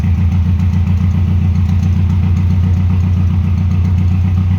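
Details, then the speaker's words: 1996 Subaru WRX after 7 years sitting outside (rusted tank, no oil, rusty coolant), fresh oil, oil and fuel filters, original plugs: low, lumpy, slightly uneven idle, runs on four cylinders after coaxing; injectors likely need cleaning; rough running after storage. "okay well the answer to the question does it run well yes it does and after a bit of coaxing got it to run on four cylinders which is quite surprising actually i thought all the fuel injectors would be blocked"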